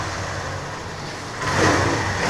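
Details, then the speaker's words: TVS Scooty Pep+ after repair, ready for customer: holds a steady idle, picks up slightly and keeps running evenly without dying or hunting. Normal idle; final diagnosis was carburetor problem. "చూడండి ఇప్పుడు బండి అయితే ఇంకా on లో ఉంది ఇదిగోండి చూసారా బండి ఆన్ అవుతుంది రన్నింగ్ లోనే"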